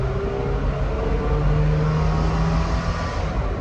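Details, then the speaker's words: Dodge/Mitsubishi-engined truck with a Weber 32/36 carb swap, after a DIY transmission TV cable linkage fix for low power: steady rising roar with no misfire at wide open throttle in first, shifting near 5,000 rpm under the 6,000 redline. "So first gear went all the way up to almost 5,000 RPMs. Red line is 6. So you figure it's gonna shift under the red line, and it did."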